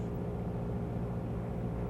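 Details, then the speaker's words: 1980s light training aircraft, pre-takeoff run-up to the checklist RPM with magneto and carburetor heat checks: steady, even, deep piston-engine drone at raised revs with no stumbles or misses, a normal engine run-up. "Bill speeds the engine up to the RPM recommended on the checklist, and Rick shows him how to check the magnetos,"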